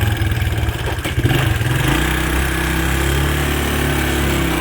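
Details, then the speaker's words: Early-1980s Suzuki LT125D Quadrunner 124cc ATV with new carburetor, plug and oil: brief revs then steady idle with light ticking over the exhaust; intake and exhaust valves need adjusting. "You can tell by the clicking that the valves, there's a pair of intake and exhaust valves underneath that need to be adjusted."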